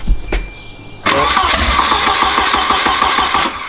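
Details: Turbo wagon engine on a newly wired Microsquirt standalone harness with a coil driver and VR sensors, first start attempt: starter whirs, then uneven chuffing pulses at about 3 to 4 per second without catching. Weak firing, not starting; cause not confirmed.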